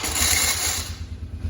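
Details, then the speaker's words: Polaris Magnum 425 ATV on starter button with a good battery installed: harsh metallic grinding scream for nearly a second as it fires, then lumpy idle; starter drive (Bendix) slow to let go, typical when battery lacks cold cranking amps. "very very obnoxious noise to start that's not completely uncommon you will hear that noise if your four-wheeler battery does not have enough cold cranking amps doesn't have enough juice to get that fuller started you'll hear that noise"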